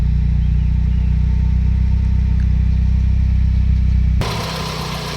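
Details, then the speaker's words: Mitsubishi 4G63 after repairs, ready for customer return: steady low idle with an even beat, no stumble or hunting, holding smooth with air conditioning on and oil not yet hot; healthy normal idle. "ดูครับสตาร์ทหรือเดินบาเนี่ยนิ่มมากนะครับ"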